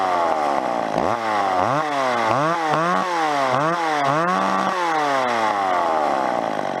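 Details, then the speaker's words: Old McCulloch chainsaw after adjusting carb high-speed screw, previously open too far and bogging: revved about eight times from idle to high, pitch rising and falling cleanly; high-speed mixture set with headroom. "I'm gonna show you just slip them the high school listen to what happened ah did you hear that how it's sung up there it's got room to go up you don't want to take it too high"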